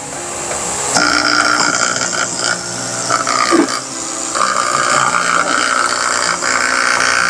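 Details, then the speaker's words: Aquarium air pump that had stopped producing bubbles, after a DIY fix, running with the lid off: steady buzzing hum with a thin high whine, loud and rattly but moving air; the noise quiets once the lid is refitted. "Medyo umiingay pero adjust natin mamaya."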